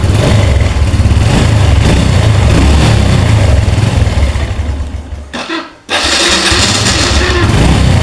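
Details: Underbone single-cylinder motorcycle idling after a new cam chain and roller (KWB code 4, Revo X/Revo Fi type) were fitted for a loose, noisy cam chain: steady, even low beat with a brief dip, no chain rattle. Healthy.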